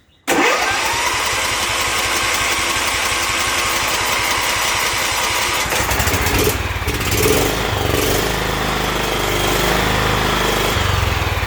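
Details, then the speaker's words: John Deere L110 mower with Kohler Command 17.5 hp, no-start repair: steady starter churning about five seconds to fill the carburetor with fuel, then engine catches and settles into smooth, even run; clean start. "i'm going to let y'all hear how much it's got to turn to fill that carburetor up it may not be as much as i think"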